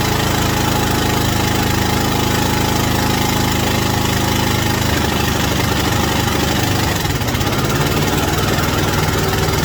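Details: White Outdoor LT542G riding mower twin after reinstalling the missing carburetor main jet and checking the anti-backfire solenoid and O-rings: a fairly steady low throb with rain patter behind it and no stumbling or backfire. Normal, healthy idle.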